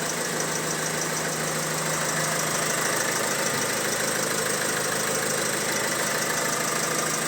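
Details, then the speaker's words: Opel Insignia B16DTH engine, 136,000 km: on start-up, fast steady metallic chatter at idle that keeps going and gets worse as it runs, from a rattling timing chain. "Трескануло в начале и затихло потом. И есть у нас видео, когда она запустилась, начала трещать. И потом при работе трещала еще больше."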